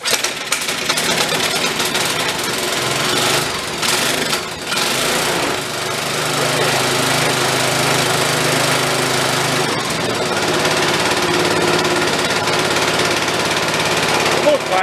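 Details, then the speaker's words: DR Power Wagon single-cylinder engine, crash-damaged estate-sale find, cold just after first start, under throttle: rough running with uneven clattering rattle; owner thinks it's just something rattling, not the motor itself. "I think it's just rattling though I don't think it's it's motor"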